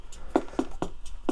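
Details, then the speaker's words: 1981 Suzuki Omnichord OM-27 with no chords or bass: drum-machine rhythm keeps ticking at about four hits a second and won't stop; dirty stop-switch contacts fail to cut it. "And even that, yeah, even that doesn't seem to want to stop."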